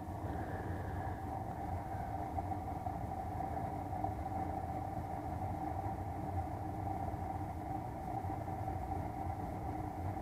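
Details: Unmaintained Bryant 394GAW048125 furnace full of lint: constant low roar with steady hum and rough gritty texture from fan housing; blower motor worn out.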